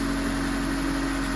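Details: 2003 Honda CR-V (K24) idling after repair (AC compressor clutch, timing chain tensioner, oil pan gasket, engine reseal): smooth, even idle with a steady hum and no rattle or ticking; engine sounds healthy.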